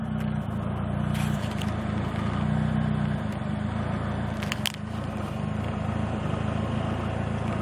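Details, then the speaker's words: 1.6 L Mazda MX-3 petrol engine idling with the AC on: the rough idle worsens, the low drone wavering and stumbling. It is intermittent, occurs only between idle and 1500 rpm, sometimes stalls, is fine at higher rpm, and sets no check engine light. "If I turn the AC on, it's even worse while it idles."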